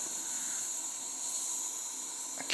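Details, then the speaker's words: Wilesco T115 model steam turbine boiler just off the gauge pin at low pressure; steady, thin high-pitched hiss as steam escapes somewhere. Owner suspects a leak around the pressure gauge, not confirmed. "All right, we have an actual leak somewhere."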